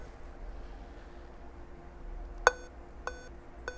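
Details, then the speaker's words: Dell Latitude 3540 notebook motherboard that won't power on, speaker held near the microphone: POST beeps one long then six short, evenly spaced high beeps; missing reference on the CPU Vcore circuit, PQ803 open and losing reference. "Olha, ele dá um bip longo e mais seis curtos. Por quê? Tá faltando a referência aqui no Vcor."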